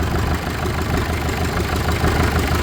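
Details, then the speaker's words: Farmall 650 diesel tractor running with heavy low clatter and uneven lumpy beat, a cylinder dropping out while air is bled from its injector line; outer two lines were fine, middle two full of air; after bleeding, diesel came out. "Yeah, this right here is holding a lot. There's fuel. Holding a lot of air in there."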